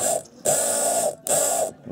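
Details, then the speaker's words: Old fuel pump from a Mercedes W210, which had hummed very loudly for about a year before the car failed to start, tested directly on a battery: harsh buzzing whirr in short bursts, seizing and barely turning. "он короче заклинил ну да внутри уже целый остановиться и все вообще заклинил"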